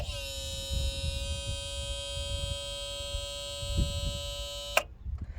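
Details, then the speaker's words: Ford F250 7.3 IDI diesel hotwired under the hood without keys: jumper wire from big to small post cycles the glow plug relay with a steady buzz about five seconds then a sharp click; relay cycling normally, then starter solenoid jumped with screwdriver. "okay glow plugs recycled now take a flathead screwdriver jump across here and we're running"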